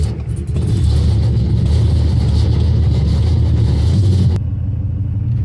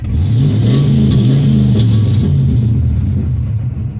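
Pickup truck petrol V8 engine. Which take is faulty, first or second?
first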